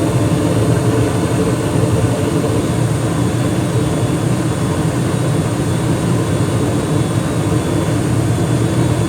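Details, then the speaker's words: 2021 Carrier gas furnace fired up after inspection, cleanup and filter change, heard at the burner: steady, even roar of burner and fan with no rattles, booms or pulsing; runs smoothly and healthy. "Okay, let's go to the burner cam and see what happens when I fire it up. Looks good so far."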